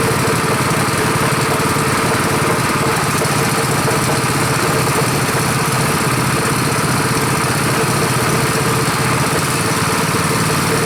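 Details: Rebuilt Honda 5.5 HP single-cylinder engine at first start after rebuild, run outside: low, steady putter at an even idle with no misses or knocks. Idle is lower and better than the other engine; runs smooth, normal.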